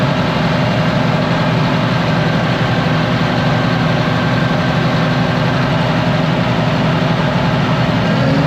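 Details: Ex-US Army Caterpillar D6R bulldozer, low hours, revived from inoperative: deep, even diesel rumble holds a steady idle with no knocks, misses or hunting; normal idle.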